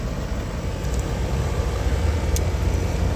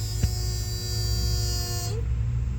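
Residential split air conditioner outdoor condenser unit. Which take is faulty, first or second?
second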